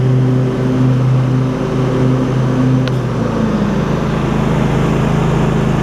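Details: Husqvarna rider with 24 hp Briggs V-twin, about 192 hours, mowing after refitting a fallen exhaust pushrod: steady, even drone with no knocks or misses; note dips briefly under load and recovers; normal running.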